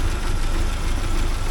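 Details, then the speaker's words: 1979 Porsche 924 after timing belt work, cold engine in snowy weather: deep, uneven, lumpy idle that should smooth out once the warm-up regulator heats up. Blipping the throttle cold stalls it. "it runs like you can hear how well it's running here now until this thing here warms up a bit once that warms up a bit then it'll uh smooth out the idle and everything"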